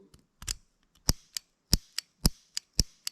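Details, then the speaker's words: John Deere LX186 riding mower with a 17 hp Kawasaki engine. Fuel shutoff solenoid gives sharp, crisp snaps about twice a second as power is applied, so it is working, though it leaks and needs replacing. "just you can hear it snapping. Okay, so that is working. So, that's a good thing."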